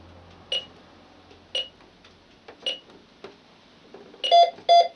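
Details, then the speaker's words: Optima Plus burglar alarm control panel being set with zone 1 not omittable: short beeps about a second apart, then quicker paired beeps; exit tone telling you to leave as it sets. "that's the sound of the alarm setting, telling you to leave."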